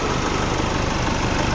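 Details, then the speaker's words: Nissan Navara after a new owner-supplied turbo replaced one with a cracked center housing leaking coolant, warm with the thermostat open, not yet revved: a steady, even diesel idle with no knocks, whistles or hiss during turbo run-in. Healthy. "อันนี้ผมยังไม่ได้เร่งเลยนะติดเครื่องมันพักใหญ่ยังไม่ได้เร่งนะครับให้เทอร์โบมันรันอินก่อนนะครับ"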